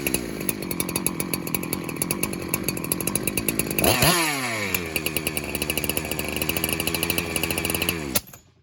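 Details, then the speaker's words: 372 clone chainsaw, warmed up, clutch removed: steady buzz suddenly surges and nearly dies when sprayed behind the clutch, not around flywheel or base gasket; air leak at crankshaft seal, to be verified. "And as soon as I hit there behind the clutch, that's where she almost died. So let's fire it up again and we'll verify."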